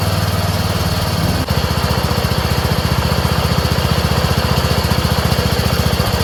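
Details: Craftsman 30" rear-engine rider mower, after replacing a clogged fuel filter (carburetor not at fault; old fuel reused, clear, no water): catches after about 1.5 seconds, then settles into an even, steady beat and runs cleanly.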